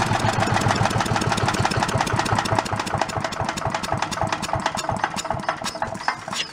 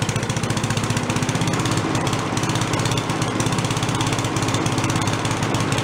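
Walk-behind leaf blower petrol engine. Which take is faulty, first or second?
first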